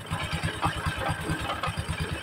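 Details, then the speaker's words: Honda Supra X 125 at idle despite a newly replaced clutch bell and centrifugal clutch shoes. There is a rough, uneven clattering of several knocks a second from the clutch area; the cause is not yet found before teardown. "Di sini pada saat kita hidupkan ya teman-teman, suara mesin khususnya pada area kopling ya, suaranya kemelotok banget."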